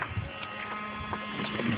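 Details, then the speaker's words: Saturn with the key off, heard once the battery is connected: a steady low electrical buzz with a faint higher hum over it, running continuously and still present with the car on; source not found. "buzzing sound somewhere over here can't tell what it is and it still runs even when I turn the car on okay"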